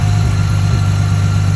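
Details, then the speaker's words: 2010 Ford Mustang 4.0L V6, previously idling rough, idling after a new MAF sensor was fitted and the PCM reset by disconnecting the battery: a deep, even idle rumble with no stumbles or hunting; normal idle. "Anytime that you like reset, it's gonna take a second for it to come back and be able to start right back up, because all of the essential functions of the engine were disconnected because of the battery."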